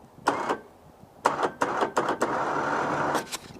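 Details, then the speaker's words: Newly installed ATV winch on a Polaris Ranger, first power-up after connecting battery: short bursts of electric motor whir, then steady run as cable spools in smoothly, no grinding; working normally. "Ooh, power's on. Let's see if we can hear it. Let's see. Ooh, you hear that? You hear that? Oh, you hear that? Oh yeah, it is working."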